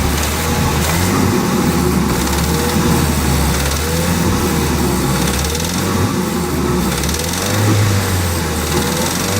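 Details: Ford Focus RS engine revving and settling to idle with a deep, heavy knock under its rough note; rod knock.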